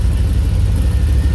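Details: 1985 Dodge D150, 408 stroker small-block Mopar with Comp Cams roller cam, Holley 850 carb, warmed up to about 180 degrees with thermostat open: deep, steady rumble with an even beat and no knocks or misses, idling at a solid 700 RPM; normal.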